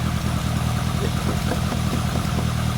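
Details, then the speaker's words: Lotus Elan Sprint big-valve twin-cam barn find, unrun 33+ years, idling on choke: deep, steady, even idle, about three hundred firings a minute, no knocks or misses; healthy engine. "That's it. It's just idling on choke. Really good."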